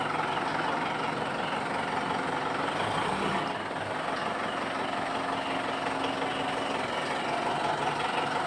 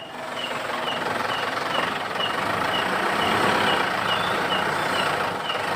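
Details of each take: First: Mitsubishi Pajero that squeaked like a rat when shifting into gear, suspected at the propeller shaft cross joint; the joint was greased rather than replaced. Quiet even idle with no chirp or rhythmic squeak after greasing; normal drivetrain, no squeak. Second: Mitsubishi Pajero, squeak like a rat when engaging transmission gear, heard from outside: short high squeaks about every quarter second over low idle; suspected driveshaft joint coupling, not yet confirmed.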